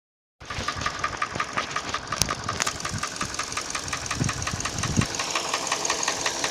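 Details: Hyundai ix35 petrol engine at idle: sharp, fairly regular ticking knock about three a second over a steady idle; internal engine knock, cause unknown.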